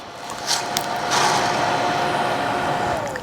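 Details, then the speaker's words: Davey 3/4hp irrigation booster pump with automatic flow switch, fed by 80 PSI well and pressure tank, garden hose connection: steady motor whine sags and winds down as water is shut off; normal pump shutoff on flow switch. "you hear the pump cut off? It has a sensor in here so that when I turn the water back on, you hear the pump come back on?"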